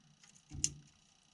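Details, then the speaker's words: Bus-to-RV conversion with the passenger-side wiper circuit reading a constant 12 V: two sharp, isolated clicks about a second apart as the circuit clicks off; suspected crossed wiring or a short toward the wiper motor. "it clicks off so i have some things crossed in here or there's a short some place between here and the wiper motor"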